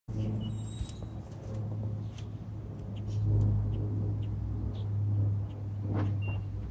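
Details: 2009 Nissan Maxima with a homemade exhaust leak for comparison with stock exhaust: deep uneven rumble at idle swelling on revs, with a ragged puffing edge instead of a clean note.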